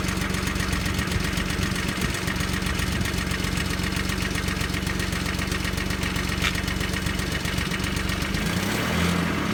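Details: Audi V6 AAH, 1994, about 190,000 km, just after cold start: steady loud idle with a rough, fast knocking patter from the lower engine, about four per second; bottom-end noise, cause unclear.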